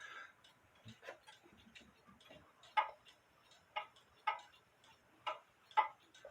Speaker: it's out of beat so I have to adjust that also